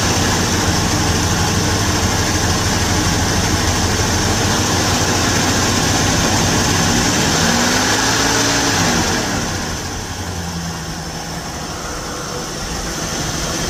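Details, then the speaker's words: Revived junkyard 1977 Ford Thunderbird V8, carbureted, with a leaking radiator, at an even, steady idle with no misses, knocks or ticks and some wind in the background, a smooth normal idle. "It is idling and running pretty smooth."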